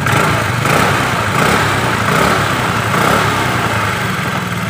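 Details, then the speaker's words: Honda Vario Techno 110 carbureted scooter after carburetor cleaning and air filter check to fix high-rpm misfire: loud, even buzz at steady speed with no stumbles, pops or hunting; runs smoothly, normal again. "tinggal kita akan coba tes Nyalakan mesin motornya nah kalian bisa dengarkan suara motornya sudah normal kembali"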